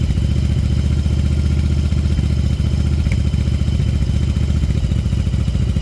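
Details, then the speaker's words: 1994 Yamaha Virago 750 chopper V-twin warming up, idling fast around 2,000 rpm and climbing toward 3,000: uneven idle with irregular pops and sputters in the exhaust; cause of high idle not yet identified. "okay I'm back getting a little more warmed up you can hear that popping that's part of the problem"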